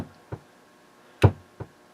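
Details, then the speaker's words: Harman Kardon HK3600 receiver with failed caps: single heavy thumps in the left speaker only when switching inputs (phono, CD) or using record out, over quiet hiss. DC is suspected in the left preamp or input-switching stages, not yet confirmed. "I switch between any of the functions here, for example, if I go to phono, CD, you hear that big thump, and that's in the left speaker only."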